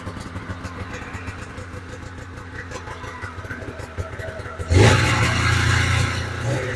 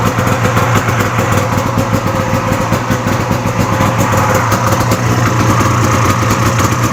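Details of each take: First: 1997 Polaris Indy 440 Touring two-stroke snowmobile, started after sitting a couple months, catches into a rough, uneven buzzing idle and only keeps running with the choke half on. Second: Cheap swap-meet Polaris Indy snowmobile, two-stroke, started after a couple of pulls to fill the carburetor bowls: even, crisp burble holding a steady idle with clean firing, then shut off; runs well, though the choke setting is still a little off.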